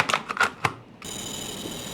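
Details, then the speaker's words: DJI Air 2S drone at power-up, previously disassembled: a few clicks then a thin steady high buzz instead of a gimbal sweep; pitch motor not responding, error only says gimbal stuck. "There is abnormal sound P motor not responding The error only shows that the gimbal is stuck."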